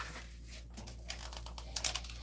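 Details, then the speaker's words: Wood lathe turning an out-of-round bowl blank: a rapid dry clatter over a steady low motor drone as the wobbling blank chatters, which is normal until it is shaved true. Normal out-of-round blank chatter. "you hear it wobbling, right? You can hear it chattering. Well, that's not a big deal because that's normal."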